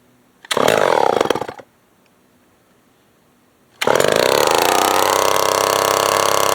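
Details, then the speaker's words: Old Remington SL9 chainsaw being revived snarls, dies, then restarts into a high, thin, wavering scream; owner suspects a carburetor issue, possibly too much air, needing adjustment. "Sort of carburetors definitely probably have an issue. Going to have an issue. Might be getting too much air right now. Too much air."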